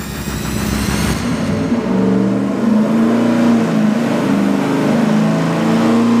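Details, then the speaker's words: Engine dyno pull on a 750 CFM four-barrel carburetor after rejetting the secondary jet. The V8 rises from idle into a steady, strong pull with no stumble or popping. Air-fuel ratio is now 12.4 to 12.6:1, running clean. "okay okay 12.4 to 12.6 to1 much more where you wanted to be"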